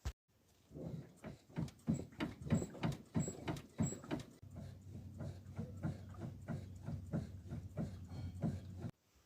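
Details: Jeep front driver's side, clunking over bumps and when the vehicle is shaken: dull repeated low clunks, about one and a half a second, traced to a loose sway bar link nut.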